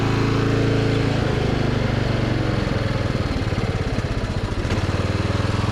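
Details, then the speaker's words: Craftsman riding mower single-cylinder engine after clearing a clogged muffler that caused poor throttle response: runs steady and free, revving cleanly with an even exhaust beat, no stumbling; runs great. "Got it back together. Thing runs great."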